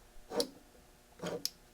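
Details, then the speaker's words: Net Test fiber optic power meter bought as-is, its buttons unresponsive: a few sharp, irregular clicks in a quiet room as the internal range relay auto-switches when the unit is lifted and the light level changes; normal range switching. "When I lift it up, it's changing ranges. There's a relay in there where it changes ranges."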